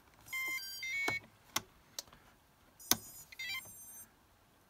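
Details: Omnibus F4 flight controller with 30 A ESC, Flysky FS-i6 transmitter and FS-iA6B receiver on a 14 V, 5 A bench supply, rebooting when throttle drops too fast: a few short high tones, pauses and clicks; normal ESC startup beeps.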